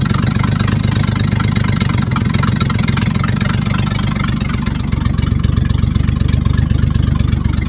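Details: Engine-off-for-decades 1950s Dodge dump truck inline six, running on makeshift plain-wire spark plug leads after sitting 30–40 years: steady, even low chug at idle with a few light revs, holding idle smoothly; normal idle.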